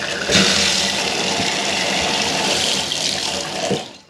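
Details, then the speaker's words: Bath tap freshly replaced because it was leaking: water flows with a steady hiss, then shuts off cleanly with no trickle afterward. Tap no longer leaking. "Shuts off, no longer leaking."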